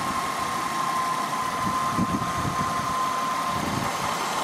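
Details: 2000 Honda Accord 3.0 VTEC V6 idling after alternator replacement: steady, even idle hum with a faint constant whine, no knocks, rattles or belt squeal; engine sounds healthy.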